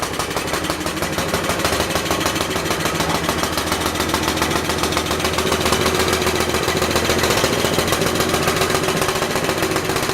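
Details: Universal model 42 RSS generator, 2500 W, rated 1800 RPM, first run after 5 years with fresh gas, lighting a lamp: slow, slightly uneven chugging of about three to four firing pulses a second; running slow because the choke was left on.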